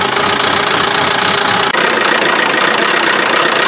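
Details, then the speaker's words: Buick Verano, believed 2.4 L Ecotec non-turbo, drained of oil and running with no belt, temperature rising and steam on the upper hoses: harsh, relentless clattering metallic knock over a rough idle; from oil starvation. Oil starvation knocking. "this thing sounds very very unhappy but it's still running starting to come up the temp"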